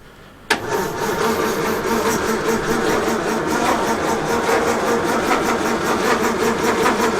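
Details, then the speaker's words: 1932 Morris Minor four-cylinder sidevalve, unused for decades, 6V battery, choke and accelerator being tried: steady starter churn about 2.5 turns a second, no catch; it ran briefly before but now won't; points found giving a weak spark and were cleaned. "I don't know seems odd that it did run but now it won't"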